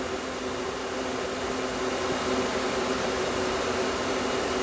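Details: Small compressor in a homemade air conditioner at first start-up, run without the solenoid valve (removed after solder restricted it), no condenser fan. Steady even hum with faint tone, no knocks or rattles; normal compressor running.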